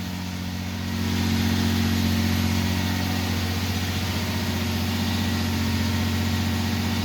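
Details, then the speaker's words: Toyota Avalon after a timing belt, thermostat, water outlet and spark plug job, warm after about 10 minutes and off high idle: a smooth, even idle and steady low drone, no knocks, ticks or misses, nothing leaking, healthy. "So it's been running for about 10 minutes. It has come off of its high idle. Everything sounds and looks great."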